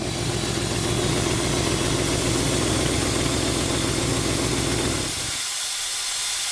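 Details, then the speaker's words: 1970 Ford Mustang V8 running straight water, hot restart, about 215 at the thermostat housing against 160–180 elsewhere; loud steady hiss over a low uneven idle that cuts off suddenly as coolant appears to steam out; owner suspects the thermostat housing and plans to pull the thermostat. "That's all your pressure. I'm so confused. Well, I think we just need to let it kind of do its thing and then we'll pull the thermostat out of it."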